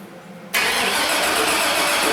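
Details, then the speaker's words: 2002 Chevrolet 2500HD 6.0 litre plow truck: starter cranks at an even pace but it never catches, one faint injector flicker and a slight puff; crank no-start, no spark or fuel, intermittent spark suspected. "So, we get one little flicker on the injector. I just heard the engine kind of fart a little bit. So it makes me think that we had a spark event also, but definitely intermittent."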